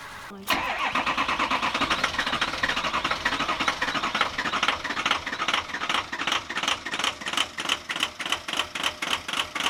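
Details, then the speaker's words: Ford Excursion diesel, warm-ish weather, first start after sitting nearly two weeks, just after replacing a bad sensor at the back of the engine suspected of causing limp mode; short crank then lumpy, stumbling rough idle; sensor did not fix it. "that sounds horrible it's not fixed not fixed i had a sneaky suspicion"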